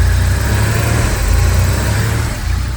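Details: Porsche 911 3.2 Carrera flat-six after replacing the engine speed, TDC and cylinder head temperature sensors and the coil: an even, steady idle with a smooth low burble and no misses or knocks, running normally.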